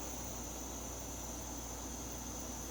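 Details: MSR Whisperlite International stove after priming and preheating: even, steady hissing roar with a constant high whistle, no sputtering or surging; burner lit correctly and burning cleanly.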